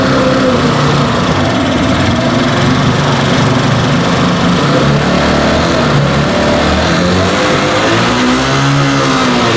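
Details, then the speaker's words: Italika Z 150 150cc single after carburetor and timing checks: revs past 6000 rpm but hunt unevenly at high speed with hard internal mechanical noise; mechanic suspects internal fault causes the problem, carburetor also bad, unconfirmed. "pero yo estoy pensando ya analice todo lo externo estoy pensando que ese ruido interno es lo que le está provocando que esta"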